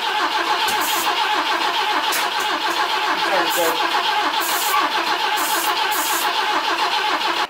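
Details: BMW E21 under restoration, starting fluid sprayed into the intake while cranking, after moving the distributor and replacing the spark plugs: steady starter churning at about two beats a second, engine never fires; crank, no start.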